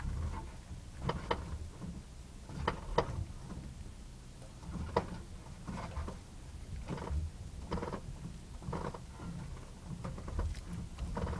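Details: 2006 Honda Civic turning at low speed: irregular dry creaks and groans as the steering wheel is turned slowly, over low rumble.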